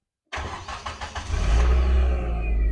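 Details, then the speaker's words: 1995 Nissan Pulsar N15 after fuel pump repair: the pump is heard priming, then a short burst of even cranking, and the engine catches at once and settles into a steady, smooth run with no misses; normal start. "There we go guys. We have ignition. We are running."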